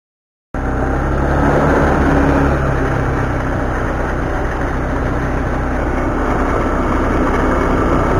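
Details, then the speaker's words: Honda Beat automatic scooter, CVT: loud rattly clatter about four beats per second from the belt drive. The bushing in the front pulley roller housing is worn, so the housing wall strikes the bushing and causes the noise. "Barusan ada bunyi dari rumah roll the bagian depan pulih bagian depan yang mengalami keausan pada pusingnya teman-teman jadi dia akan menimbulkan bunyi kocak yang sangat bising"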